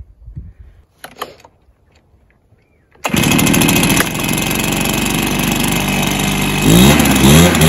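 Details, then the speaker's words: Stihl BR430 backpack blower that had been bogging, after adjusting the carburetor high and low screws: a quiet start, then a steady, even two-stroke buzz that climbs cleanly when revved. Normal running and revving, fixed. "so that's a good result it starts and runs well and revs out well so yeah I played for that"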